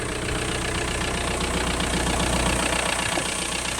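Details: VW Caddy 1.9 SDI diesel on a cold day about 4°C, running after a replacement ECU was fitted: steady, even diesel clatter at about four beats a second with no misses or surging; healthy idle.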